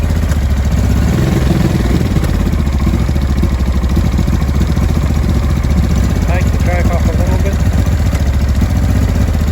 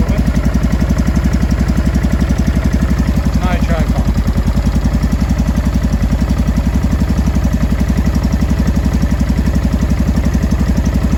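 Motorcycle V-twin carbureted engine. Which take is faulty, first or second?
first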